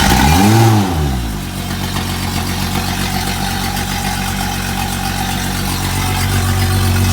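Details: Honda 250 HP outboard on a 21 ft boat running after long sitting, no-start fixed by restoring missing battery ground; revs up then settles into steady even smooth low hum, no stumbling or misses; normal running.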